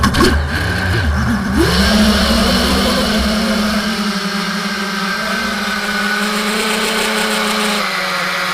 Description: Testing my GB-X210 on the video heard weird noise from 1:40 and random crash at the end of the video.